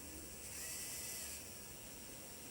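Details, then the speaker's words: Hornby T9 model locomotive just fitted with a new, not-yet-run-in motor: high buzzy whirr with gritty edge, sounding unhealthy but working; owner hopes it quietens after running in; wheels still to be cleaned. "king I can hear that motor spinning up it doesn't sound healthy I must admit but of course it works better than not"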